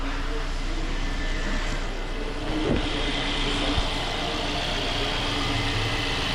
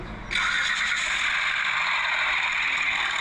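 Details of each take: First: Petrol car engine idles steadily and evenly after the injection warning light is cleared, with a smooth hum and no knocking or rattling; normal idle. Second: Engine started in the workshop, two noises heard: steady, bright metallic timing-chain chatter from worn-out chain tensioners, plus noise from a pulley.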